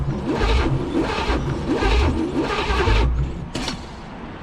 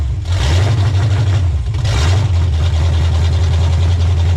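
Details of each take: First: 1985 Pontiac Trans Am 5.7 (350 small-block Chevy), not run in 7 years and freed from seizure, premix fuel poured in, header on one side: the starter churns slowly in bursts but the engine never catches; a weak battery is suspected. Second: 1985 Pontiac Trans Am 350 small-block, first real run after 7 years, cold, with open exhaust manifolds: loud, deep rumble catches and settles into an even, lumpy idle. The idle screw is raised afterward for warm-up. It runs fine.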